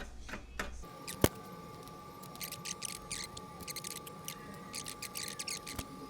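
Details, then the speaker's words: 20" California Trimmer reel turned by hand against a newly installed bed knife during seating: light, crisp slicing hisses in quick, even bursts with no knocks or catches. "that's what you want to hear you want to hear that slicing all the way across"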